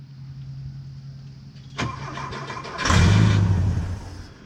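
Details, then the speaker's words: Porsche 914 (1972/73) first start in years on starter fluid: cranks, catches with brief rough burst of revs, then dies; fuel pump not pumping, fuel pump relay switch found missing; engine dies after starter fluid, no fuel delivery. "okay well again the fuel pump wasn't pumping so before I assume it's the fuel pump let me do a quick Google search"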